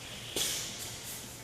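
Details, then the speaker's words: Hunter 6-in Pro Spray pop-up body in a 100 PSI water-and-air surge test: sudden hard screeching hissing rush through the body; it survived 20 cycles with no failure. "Wow, you can hear the screeching water as it's pushed through the body so quickly."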